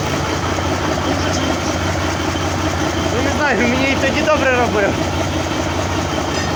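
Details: Mercedes OM401 diesel at idle, start of fault search: dull, uneven low knock under steady diesel clatter; source not yet found.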